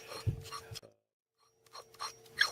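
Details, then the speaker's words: Taco 005-020RP circulator pump used cartridge spun by hand: short dry rasping bursts; sealed bearing worn out, cartridge replaced. "here's my used one in my old one and you spin it you can hear that the bearing is pretty shot"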